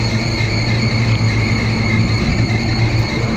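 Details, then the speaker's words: Air conditioner: steady high whistle over an even fan hum with no pitch change, caused by a loose blower belt; the belt should be tightened to about half an inch of deflection. "देखो यह जो sound था इसके लिए था belt loose है belt loose है इसके लिए ठीक है"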